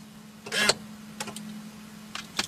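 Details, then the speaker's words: 2003 Chevrolet Corvette Z06, ignition off, key pulled out: short electric whirr and click bursts as column lock actuator locks the wheel, crisp and complete each time; normal steering column lock operation. "soon as I pull the key out you're going to see key out state and you heard the actuator work and now it says ignition off locked and the wheel is now locked"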